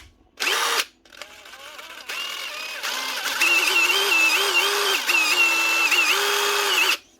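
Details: Dewalt cordless impact driver before switch clean: motor whine keeps surging and dropping in pitch with stop-starts under a steady trigger pull; faulty, dirty variable-speed trigger switch.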